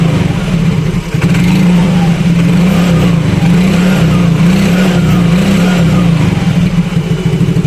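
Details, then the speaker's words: Yamaha Mio Fino 125 fuel-injected scooter after adjusting the idle speed control (ISC) via its hose: holds idle on its own without throttle, pitch drifting only gently, no stalling or surging; normal idle. "coba nyalain jadi ini enggak saya pegang ya untuk e kondisi gasnya tuh ini normal ngangsap"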